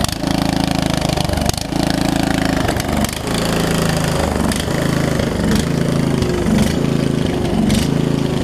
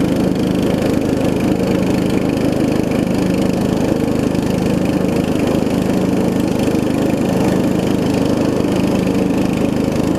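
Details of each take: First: Murray widebody riding mower, single-cylinder engine, after sitting a few years, running on choke: chugs unevenly, speed stumbling and hunting instead of settling into a smooth idle; owner suspects too-small fuel line plus worn carb, possibly leaking needle and seat. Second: Murray widebody riding mower with 16.5 hp Briggs single-cylinder engine, after new carb, fuel lines and valve adjustment: steady, even putter at fast idle, no misses or knocks, a little loud from a small exhaust leak; runs and drives great.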